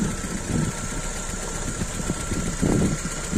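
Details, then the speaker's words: Car engine at idle with the oil filler cap open, after water or foam was found in the cap: light, uneven ticking and splashing from the top end, normal oil thrown by the camshaft lobes, harmless. "الكامات هذك يب يطيش في الزيت السبات وع البورات على البسات وعلى الكبيتر باش يزيت عادي ما تخافش منه ما فيها شي"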